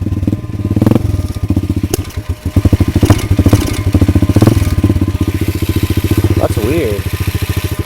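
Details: Pit bike, just worked on, muffler repacked with duct tape and cloth, engine missing some mounting bolts: small single stumbling with uneven, faltering firing pulses that won't settle; fuel starvation, the tank turned out empty.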